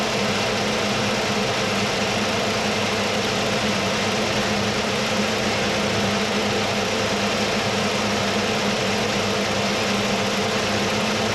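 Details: 1979 Mercury Capri with 351 Cleveland V8, distributor freed and retimed to about 10° initial (about 32° all in): steady smooth idle with a constant low hum and no misses, stumbles or hunting; runs evenly.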